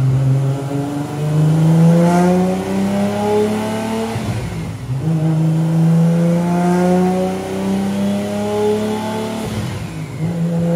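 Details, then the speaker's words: Rat Rod Supra, about 1,300 hp, after the mystery issue was fixed: the note climbs cleanly through several gears with crisp shifts and no breakup. The turbo seemingly tapped out, possibly near 1,272 hp; healthy pull. "122 solid that was solid I think that turbo tapped out I can see the boot number starting to fall"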